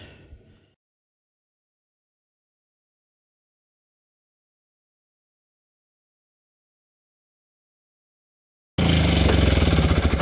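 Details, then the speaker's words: 1971 Johnson Skee Horse 30 hp two-stroke snowmobile, first start after years sitting on a trailer, primed: catches and runs with a fast, even buzzing beat and smoke; fuel draining back to the tank was noted earlier. "oh come on good enough for saturday got smoke coming out of the sled shed there that's a good sign"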